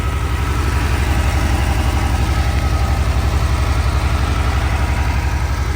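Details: 1982 Porsche 911 Targa, same owner since 1983, sat about five years: steady even low idle after a cold start, regular firing pulses, no knocking, ticking or smoke. Seller notes it can choke up and die.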